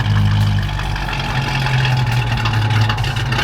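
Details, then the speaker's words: 1990 Ford Foxbody Mustang, cold: idle hunts up and down and never settles, though it drives fine; surging, unstable cold idle, owner suspects a TPS issue and plans to check TPS voltage and reset idle RPM. "you can see it runs fine it just doesn't want to idle at all when it's cold"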